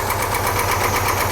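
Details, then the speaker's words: Old International Scout V8 idling right after the distributor spark leak was fixed following the pushrod repair: steady, even idle with a smooth low rumble and no missing beats; now firing on all eight cylinders instead of seven. "It's funny when it's running on eight cylinders instead of seven."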